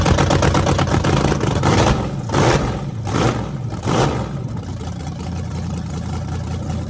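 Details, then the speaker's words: Freshly rebuilt small block Chevy 350 (355) for an OBS Chevy truck, restarted on an engine run stand with open headers: idle with a few sharp throttle blips that rise and settle cleanly. Normal idle and revving. "is thing sounds mean as can be so I'm just excited to uh be able to let you guys hear it"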